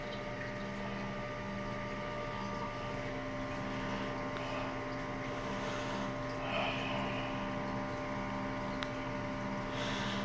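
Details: American Home automatic washing machine after repair of a not-draining fault, drain adjusted, spin dry cycle; steady low hum with an even motor whir and soft regular pulsing, no grinding or straining. Normal drain and spin.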